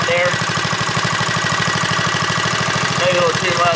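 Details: JCPenney Bird minibike small single-cylinder engine after choke and a slight carburetor screw adjustment: slow, steady idle without stalling or hunting, settled and running fine; normal idle.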